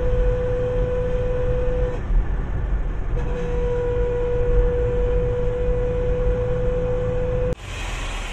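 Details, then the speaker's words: Toyota Unser rear axle while driving; a steady whine over road rumble, like metal grinding when lifting off the throttle, from damaged rear differential gears; the axle oil was found dirty. "Dia punya bunyi dia bising nampak. Kalau saya lepas minyak hilang tekan minyak macam tu bunyi dia macam besi bergesel."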